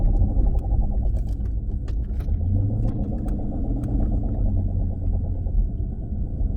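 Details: 2016 Dodge Challenger Scat Pack at cruise: deep steady rumble under the road noise throughout; bad driveshaft carrier bearing, repair means removing exhaust and driveline and replacing the dealer-only carrier bearing.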